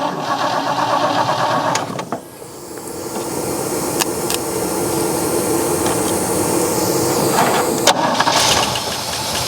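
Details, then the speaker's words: 1963 Oldsmobile 98 V8 revived after years sitting, running on old gas to pump oil to the valves: after a brief stumble it settles into a soft even idle with a faint steady tick, smooth as a sewing machine. "like a freaking sewing machine"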